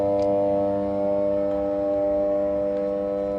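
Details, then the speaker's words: Power transformer at a substation, heard while approaching it: steady low electrical hum with even overtones, a normal humming as the laminated iron core expands and contracts with AC and magnetic flux; volume rises nearer. "कभी सिकुड़ती हैं तो उसके कारण ये humming sound हमारी change होती रहती है।"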